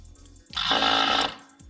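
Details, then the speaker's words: Electric cruise-control vacuum pump on a 5.9 Cummins-swapped Ram 1500, key on: sharp electric whirr for under a second, turning on and off by itself; pump cycling normally after the fix. "can hear the pump going so I'm assuming it's vacuumed up right now we give it a a sec here let the vacuum drop a bit Yeah turned on by itself turned off by itself that's great"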